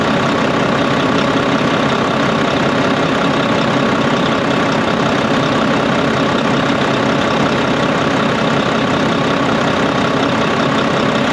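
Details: Volvo VNL D13 diesel idle after fitting a new O-ring at the leaking pipe joint and tightening the nuts: even, steady, smooth low rumble with no windy rush or hiss. Normal idle after repair.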